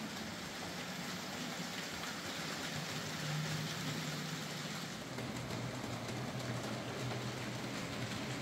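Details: Hornby J15 model locomotive, slow and noisy since new, after a motor replacement: soft, steady motor hum with light track noise and no grinding or surging; now running a lot quieter and smoother.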